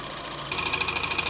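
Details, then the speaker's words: VW Touran 1.4 TSI after engine reassembly, at idle: fast, sharp metallic ticking about fifteen a second from the engine-to-gearbox sheet-metal plate, bent when the gearbox was removed, rubbing the flywheel; to be straightened. "bon je vais la voiture pour écouter le bruit d'où moteur et la boîte qui s'est tordu lorsque j'ai retiré la boîte à Tulip a dû la tordre un peu donc ça doit toucher un peu contre le volant moteur"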